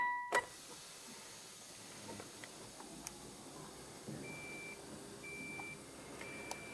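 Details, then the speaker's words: Vehicle on 12V battery, won't start: quiet, then a few thin high beeps of fault chime with red vehicle fault light on; cause unknown, possibly mouse damage. "nothing happens because there's a red vehical fa light cool maybe Mouse damage I don't know"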